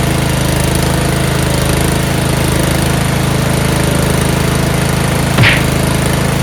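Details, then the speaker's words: Yard Machines 38-inch riding mower, 13.5 HP Tecumseh single-cylinder, after slow-crank no-start fix, oil full and clean: steady even low drone, no misses, surging or knocks; starts right up, normal running. "this thing runs great starts right up now"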